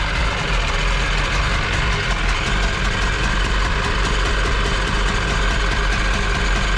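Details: Jet boat engine with freshly rebuilt carbs, on a water hose: low steady rumble, fairly even beat, no misses or knocks over water splash; sounds healthy.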